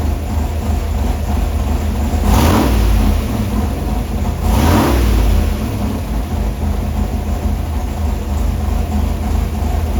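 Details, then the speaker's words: Carburetor dyno test at Bob McVay Dyno, engine under acceleration: heavy low roar with two short whooshing surges, possibly the secondaries opening, though the timing is not confirmed. "you are going to see them open up all the way but you're also going to hear it as the engine's accelerating so you'll know when it's actually opening up all the way"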